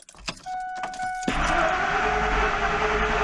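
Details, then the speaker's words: 2001 Ford Expedition XLT V8 crank-no-start: chime and key noise, then the starter spins the engine steadily but it never catches; owner suspects no fuel, checking relays and the fuel pump. "See that? No start. Starter's going. No, no gas, right?"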